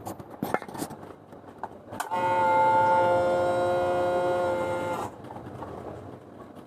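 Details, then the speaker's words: Yamaha Aerox fuel pump, with the microphone near the tank, on a scooter that stuttered and whose pump reportedly made no sound. A clean, steady hum runs about three seconds and cuts off: the fuel pump is priming normally. "Apakah sudah berjalan? Pompa bahan bakar menyala dan suaranya terdengar."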